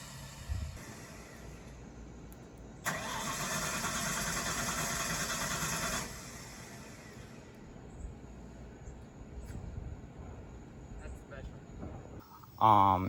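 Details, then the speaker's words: 1993 Ford F-150 with swapped 351 Windsor, other throttle position sensor fitted to good throttle body: steady three-second cranking with no catch; owner thinks sensor read wide open, holding flood-clear mode, since unplugging it let it start; diagnosed bad TPS, replaced. "basically I think it was in flood out mode and the sensor was reading that it was mashed down all the time and therefore wouldn't start cuz as soon as I unplugged the sensor and tried to start it, it came right to life."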